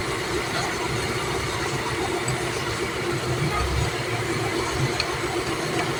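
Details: Toyota Corolla that cranked but wouldn't start, fixed after a computer box/relay problem (relay found not connected): steady, even idle under background noise, no knocks or misses, running smoothly.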